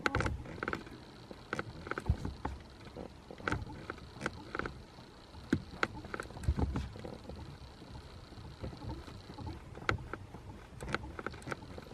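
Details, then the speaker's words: BMW E60 clutch pedal box, microphone near the pedals: short, sharp, dry squeaks each time the pedal moves. The noise comes from the pedal pivot, not the spring as first thought; to be greased with lithium grease. "so to me that kind of sounds as if the squeak is coming from from here not from this spring where i initially thought it would be coming from"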